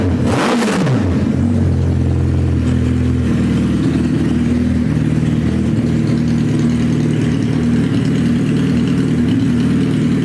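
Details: Suzuki Hayabusa GSX1300R four-cylinder after a wreck, two new main injectors fitted, no exhaust; loud open-pipe blips then even steady idle, every cylinder firing; normal idle and revs.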